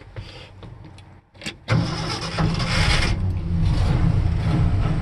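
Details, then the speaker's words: 1969 Ford F250 Camper Special, factory 390ci V8, manual, about 30°F cold start: short crank catches at once and settles into a steady, deep, even idle with no misses; normal, sometimes needs a couple tries when very cold. "starts up pretty well. You know, usually maybe takes a couple of times when it's really cold out,"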